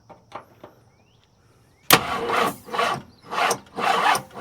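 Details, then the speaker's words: Abandoned 1968 Ford XL: slow, labouring crank that never fires. The battery lacks enough cold cranking amps and timing is unchecked; the carburettor is considered dead and not enough fuel is reaching the engine. "This battery ain't got enough cold cranking amps, but it it does the job."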